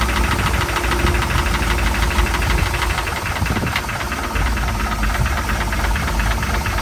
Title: Mercruiser 3.7 startup bad bearings